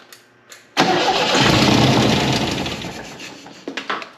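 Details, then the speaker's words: MGB sat for 15 years, first fire-up after sitting, plugs finger tight, barely any ether: quick crank then catches instantly into a rough but steady idle; it started with no trouble. "Holy shit! The first fire up! That took off like nothing."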